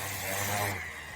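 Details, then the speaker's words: Bauer orbital sander on max speed, burning smell, nearly dead: a harsh, raspy high buzz that sags and thins partway through. The motor is dying on worn brushes. "yeah it's on Max poor little fell I'm fairly like it should be going right right there oh yeah he's about dead"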